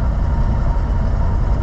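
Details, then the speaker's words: 1947 Ford Coupe while driving: a low, lumpy, uneven engine note as if the engine is skipping; it is warmed up but acting cold, and the owner thinks the choke may need adjusting; engine misfire. "oh man sounds like the engine's skipping quite a bit"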